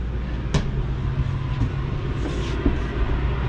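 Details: 2022 Jayco Jay Flight Bungalow 40LOFT, second rooftop AC run from bedroom thermostat: steady low droning hum from compressor and fan with a few light clicks; running normally.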